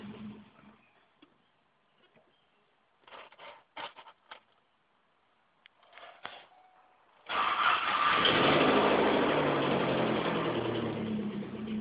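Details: 1988 Saab 900 Turbo, morning cold start: several short cranking bursts that fail and die, then it catches around seven seconds and idles with fast light valve ticking; hard starting with noisy valves.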